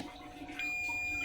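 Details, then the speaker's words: Polytron LED TV with total power failure, removed power-supply diode tested on multimeter continuity: one steady unbroken high beep, diode shorted. "teman-teman dengarkan dioda ini shot selanjutnya untuk dioda yang sebelahnya yang saya sudah cabut juga harusnya begini teman-teman ini enggak short ini ya"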